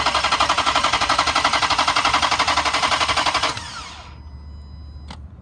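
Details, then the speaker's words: 2012 Dodge Charger PPV 5.7L V8, noted with knocking bad motor, sat over six months, on jump box; steady starter cranking about four turns a second for three and a half seconds, never catches. Cranks, no start. "i got the jump box on it i'm going to hit the key so you can hear what it does the motor does turn over but it does not start"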